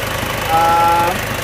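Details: Isuzu Panther diesel rebuilt for heavy blow-by: new liners, piston rings, bearings, reground crank, seals, gaskets and all water lines; just started, not yet adjusted. Even idle with brief faint whistle, regular combustion knock; normal idle.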